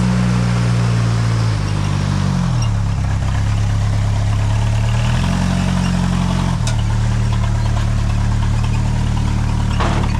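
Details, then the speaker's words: 1988 Jeep Comanche Chief, first start after sitting 10 years: low idle rumble whose speed keeps wandering up and down instead of holding steady; rough idle, cause unknown. "Yo, she bounces like she's throwing ass."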